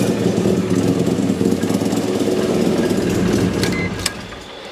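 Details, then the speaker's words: Mazda RX-7 rotary, first start after a manual-swap rewiring using automatic harness parts. Fast, rough, raspy idle that doesn't settle; idle way too high because the brake booster vacuum port is still open, causing a vacuum leak. "that idle is way too high we still have if you look here we still have an open vacuum port which goes to the brake booster"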